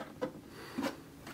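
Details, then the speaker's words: 2022 Seiko Melodies in Motion clock at full volume: dry rasping scrape in three short bursts as the mechanism turns, audible across the room; gear train grinding. "all right so that's the issue guys that's the noise it makes that grinding sound you can hear it across the room when it's on full volume"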